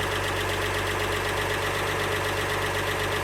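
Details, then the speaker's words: 1948 Chevy 216 inline-six, first start since 1989, at about 200 °F with oil pressure a little low: steady, even idle with a smooth low hum, no misses or knocks; normal idle. "my intake but man she's just purring away"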